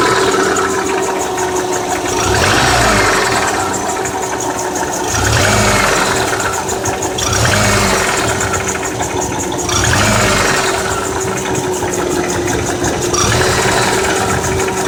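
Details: Subaru 2.5 petrol engine at idle: sudden quick steady metallic ticking over low hum, not piston slap; owner suspects something came loose; it stops during transmission shifts and returns once in gear.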